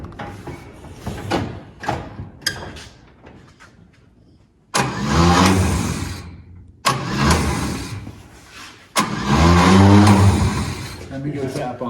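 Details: 1954 Chevrolet 3100 truck, original 235 straight six, parked since 1978, converted to 12V, battery possibly weak: three cranking bursts with a steady turning-over beat but never catches; crank no start.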